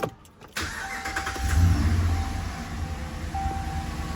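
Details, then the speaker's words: 2013 Ram 1500 at 75,000 miles, hood up, starting right after a Volant Powercore cold air intake install. Brief crank, then it catches cleanly into a smooth, steady low idle with no knocks. Quiet, sounds about normal, adds little interior sound. "Yeah, seems to be doing what it's supposed to, so. Sounds about normal, so doesn't really add much interior sound to the truck if you're worried about that."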